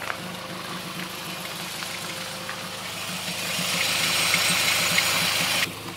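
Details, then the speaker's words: Car (TC) in drive after new drilled/slotted rotors and Hawk pads: wheel turning with light steady hiss and engine ticking, no scrape; brake running clean, noise gone. "watching you put it on drive again so I can show you guys not making the noise anymore"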